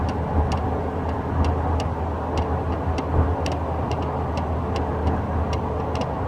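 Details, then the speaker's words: 2013 Toyota Tacoma second-gen double cab, inside the cab on the driver side under the steering wheel: sharp, irregular light ticks and rattles over a low, steady engine and road rumble. Interior dash rattle, cause unknown. "my second gen Tacoma I had this weird rattling noise coming from underneath the inside of my cabin driver's side"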